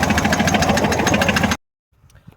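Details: Datsun 280ZX that developed a bad rod knock while driving home from work: a heavy, steady knock hammers about seven times a second over the running engine; a worn rod bearing is suspected.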